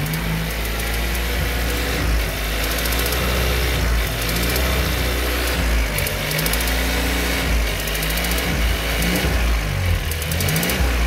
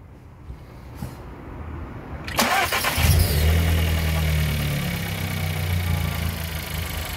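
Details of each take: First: VW Golf TSI petrol engine idling with a light, regular tick that sounds like a valve; the cause is a loose spark plug that was replaced six months and under 3,000 km earlier. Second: VW Golf TSI after replacing a spark plug, engine noise resembling valve noise previously, original plug six months old under 3,000 km: brief crank, then steady, even idle with no knock or rattle.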